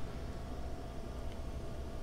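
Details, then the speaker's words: Steady low whirr with a faint constant tone, no clicks or scraping, from the old hard drive just attached to the Osicom OfficeMate 286. Lots of drive noise; whether it's healthy is unknown. "lots of hard drive noise i don't know if you can hear that don't know if it's good hard drive noise or a bad hard drive noise"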